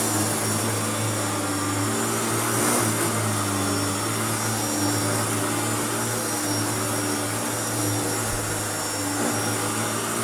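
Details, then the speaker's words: Hoover Turbopower U2724 upright vacuum after restoration, running on high setting on deep-pile carpet: steady even roar with constant hum underneath, no surging or rattles; normal running. "let's start it off on high just to see if it does anything"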